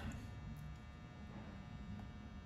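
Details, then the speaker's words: 2021 Wildwood 179DBKX travel trailer propane water heater after the ignition clicking: steady low whir of the flame with no sputter or popping, the burner has lit and runs normally. "And you can actually hear that whir of the flame now, so we know that that thing's lit up and good to go."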